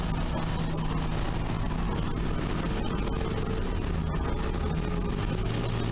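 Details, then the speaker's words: Sunbeam Alpine idling in neutral after valve lash adjustment (set .010" intake/.012" exhaust hot), valve cover refitted; low, steady idle with even beat and no top-end ticking; adjustment a success. "so I think this was a success all right mission on neutral that sounds real nice"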